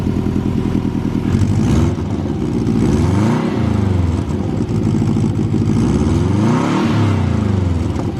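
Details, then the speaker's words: Subaru WRX after first start. The engine revs up and down with a sharp chuffing tick on the exhaust note because the manifold was left untightened, though otherwise healthy: an exhaust manifold leak. "my dumbass forgot to tighten down the manifold earlier and that's where we're getting our leak from she sounds healthy though"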